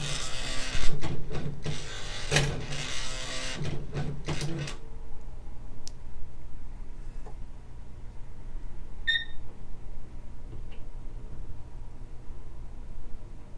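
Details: Early-1990s Smith Corona PWP-3200 word processing typewriter with daisy wheel printer and floppy drive, switched on: about four seconds of clatter and whirring as the print mechanism homes, a quiet pause, then one short beep; normal startup.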